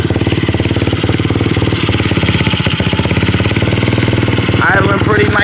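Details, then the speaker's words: Customer's second SSR pit bike after carburetor rebuild, which previously would only start with starter fluid: a quick, even single-cylinder putter holds a steady idle with no stumbles or hunting. Normal idle. "down we go she took a little second but she's up and running no starter fluid need"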